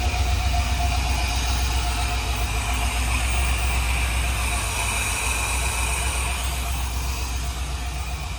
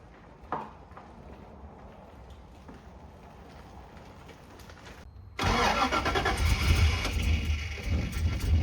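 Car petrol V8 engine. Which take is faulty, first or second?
second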